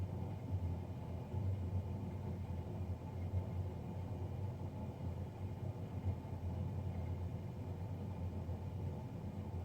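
A steady, deep droning roar with no rhythm or knock, heavier than a combustion fan should sound, so the fan is running loud.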